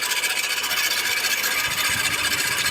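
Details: Mitsubishi Lancer, cold engine: steady, piercing high squeal with rough scraping edge from the alternator pulley; accessory belt idler bearings also replaced.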